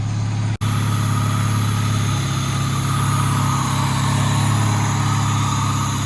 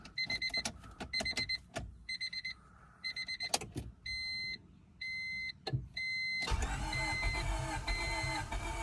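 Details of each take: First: 2000 Honda Civic D16Y7 just started after a crank-no-start: deep, even idle with a steady beat and no stumbles or ticks; the start fault is attributed to the distributor, likely its CYP camshaft position sensor. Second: 2000 Honda Civic D16Y7, crank-no-start: door chimes, then about three seconds of steady starter cranking that never catches; the tach doesn't bounce, and the owner first suspects the crank sensor, with the fault later traced to the distributor, likely its CYP sensor.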